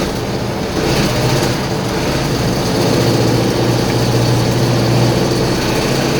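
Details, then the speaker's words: GAZ-66 at about 2500 rpm, knocking since water entered the crankcase: loud, hard, uneven knock three to four a second; oil pressure light comes on with throttle, dims off it; rod bearing suspected; knock with low oil pressure. "Звук страшный, конечно. Мне что-то говорит про вкладыш. Когда я даю газу, масло загорается. Отпускаю газ, масло немножко гаснет."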